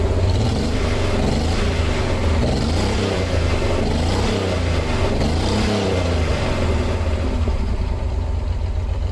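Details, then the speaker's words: 1986 Pontiac Fiero GT, old and rotting, running after first start and left running a while: steady deep engine drone, revs rising and falling smoothly, picking up cleanly; it later drove rough. Normal running. "so i got the car started now what well after letting it run for some time"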